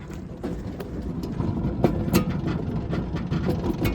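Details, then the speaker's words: Toyota 4Runner work truck, rear jacked up, wheel spun by hand: low rough growl with uneven ticking from a worn rear wheel bearing, not the rear diff. "you can hear the bad wheel bearing in there. I didn't hear it on the other side, and I was nervous that it was in the rear diff, in the rear end, but I can hear the growl slightly from here."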